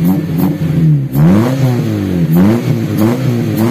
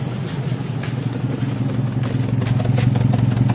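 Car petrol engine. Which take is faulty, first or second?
second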